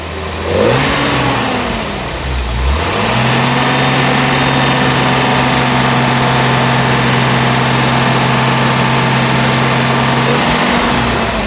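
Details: 1971 Mercedes-Benz 280SL at pre-purchase inspection, engine still cold, slight exhaust smoke but no blow-by felt: a couple of gentle low revs, then a steady, even idle with a smooth tone; sounds healthy.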